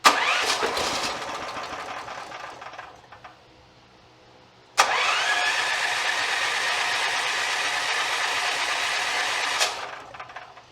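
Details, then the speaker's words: Free small generator left sitting outside for years, fuel tank not yet working: engine catches, revs briefly, fades, fires again, runs a few seconds and dies; stalls from fuel starvation. "that's amazing now we just got to get the fuel tank working"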